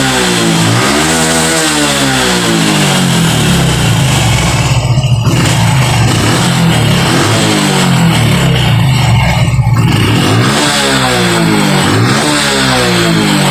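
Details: Honda Revo FI fuel-injected motorcycle revving cleanly up and down without bogging after fixing power loss at upper throttle; mechanic blames shifted TPS sensor, fixed using aluminium foil, music over it.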